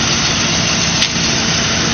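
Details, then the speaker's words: Cadillac DeVille idling in park after a fuel pump replacement, with the air suspension raising: even, steady idle with some hiss over the top but no stumbles, misses or knocks; engine runs smoothly. "All right, guys. Here she is. She's running."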